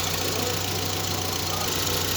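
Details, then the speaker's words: VW Saveiro after belt noise repair, with power steering, alternator and A/C belts and belt cover reinstalled: steady, even idle with smooth hum, no knocks, ticks or chirps; engine sounds normal. "funcionar agora para ver o barulho ficou filé partida e vai a rodando sem por cento normal"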